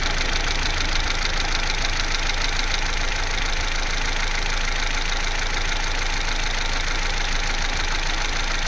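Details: Vauxhall Corsa C, Z14XEP petrol engine, 86,000 miles, cold idle from start-up to about 6 minutes: an even, quiet idle with no clear rattle. The timing chain rattle only becomes pronounced at full operating temperature.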